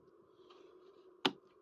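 A single sharp snap in an otherwise quiet room, crisp and complete, as the solenoid throws the points cleanly.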